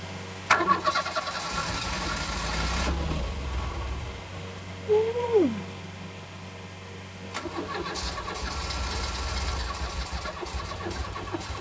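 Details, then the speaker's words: Ford Escort MK3 Cabriolet under restoration, start attempt: two long spells of steady starter cranking with no firing; cranks but won't start, came very close. "That was bloody close. I thought that was going"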